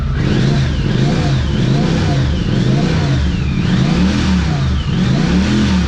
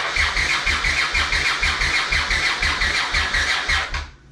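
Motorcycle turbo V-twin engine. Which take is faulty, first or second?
second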